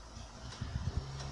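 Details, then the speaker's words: 3.5-inch hard drive that had previously been opened, tested after spin-up: four quick evenly spaced clicks about eight a second over a faint whir; clicking drive, cause suspected from the prior opening. "Щелкает, как вы видите. Ну, неудивительно, если его вскрывали."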